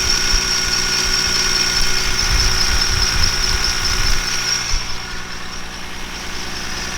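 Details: BMW E46 M3 S54 on its first start after a timing chain and rod bearing service: high whine with an uneven rattle at idle, about two beats a second, from the timing chain tensioner. It was much quieter after the tensioner was replaced.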